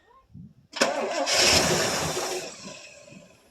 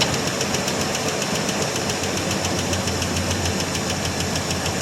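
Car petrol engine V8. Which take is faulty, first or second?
second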